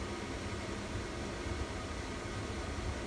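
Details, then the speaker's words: Camper furnace first run on a newly wired Honeywell 2300 home thermostat, just after ignition while it purges: soft steady air rush with an even fan hum and no rattles or scraping. Normal blower operation. "It's got to purge. What? It's purging itself."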